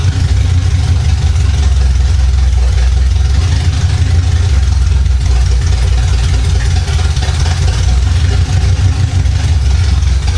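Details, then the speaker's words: 1975 Chevy Monza with swapped-in 350 small-block V8, sitting about 20 years, running after distributor fix: low, throaty idle with steady even beat, no misses or knocks; healthy engine. "Woo! What a beast. That thing sounds great."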